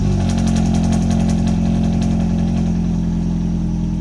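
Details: Mercedes SLK R170 after replacing the faulty light switch (with a used one): starts and idles smoothly with a steady low beat, no misses or knocks; warning lights no longer stay on, car works as it should.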